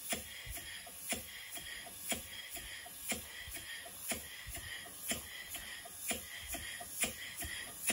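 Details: Stevens Model Dockyard steam engine before restoration: sharp regular knocks about twice a second, alternating loud and soft, from a slack big end bearing. The piston is also suspected of hitting the lower cylinder end cover.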